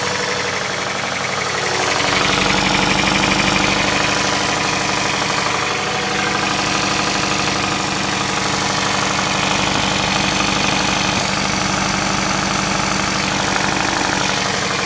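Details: 2005 Scion tC TRD idling with a dense, busy knock or clatter from the front of the engine. Owner suspects the timing chain, chain tensioner, phaser or broken chain guides; cause unconfirmed.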